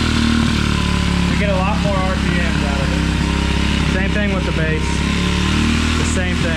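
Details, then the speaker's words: 2016 Tao Tao 110cc pit bike with new carburetor, plugs and air filter, idling rough with uneven beat and wandering pitch. It wants a high idle and the idle screw has no effect; sprayed carb cleaner raised the RPM, revealing a bad intake gasket air leak. "that thing sounds like it's running a little bit rough yeah but so what's happening is the engine sucking in that carburetor clean cleaner and acting as a fuel and making those RPMs jump up so that gasket is is bad"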